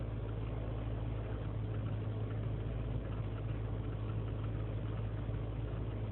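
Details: 2003 GMC Sierra Z71 5.3 V8 (non-flex fuel), cold start after a night in single-digit temperatures, no throttle: low, uneven idle that stumbles and lopes with rpm dipping to 500, lean and misfire codes; suspected leaking intake manifold gasket.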